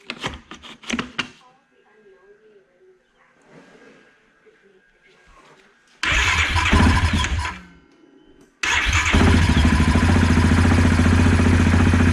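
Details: 2016 Yamaha Kodiak 700 after removing engine side cover to re-torque and Loctite oil pump drive sprocket nut, coolant refilled and bled, oil refilled: a couple of cranks, catches at once, settles to steady even idle, no knocks or misses; normal start and idle.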